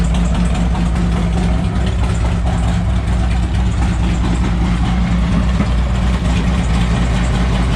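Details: 2007 Harley-Davidson Ultra Classic with swapped-in used 103ci V-twin from a 2014 Dyna Street Bob (25k miles), OEM ECU tuned, about 30 miles since swap: loud, deep, lumpy idle with steady beat, no ticks or knocks; runs strong and even.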